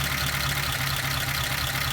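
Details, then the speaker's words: 1953 Pontiac Chieftain idling with the number 3 plug lead pulled: the idle sags into a low, uneven, shaky beat; the significant rpm drop shows that cylinder was firing. "I will disconnect here number 2. And you can hear that it dropped."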